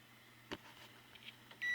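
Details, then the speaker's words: 1890s GE antique fan motor and speed control, No. 337738, being diagnosed: multimeter on continuity across the line cord gives a steady high beep; the cord conducts, good circuit. "i'm going to put my meter on continuity because you're not going to see it but you'll be able to hear it see okay so let's check the line chord i'm sure it's fine but we want to rule everything out as we go okay so that side's fine let's check this side"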